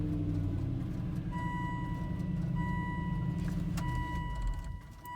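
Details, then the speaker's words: Volvo XC90 V8 cranks, starts with a low rough rumble under a warning chime, then dies; stalled while reversing, SRS airbag warning appeared, codes point to fuel pump, owner suspects fuel pump or corroded PEM. "yep it dies and then i have an srs airbag service urgent so it's like a new error or something"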